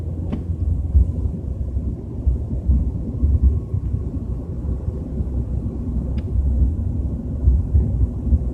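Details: BMW 320i with a deep, uneven low rumble that swells and fades while cruising at 30–40 km/h, little higher noise; source not pinned down.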